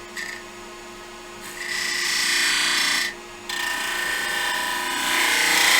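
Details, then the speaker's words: Woodturning a Christmas yule log box, smaller gouge cleaning up the face with the work overhanging nearly 6 in unsupported: steady high buzzing ring with rapid pulsing, the long overhang letting the workpiece chatter. "backwards and you can hear the sort of vibration because it is some length nearly 6 in away"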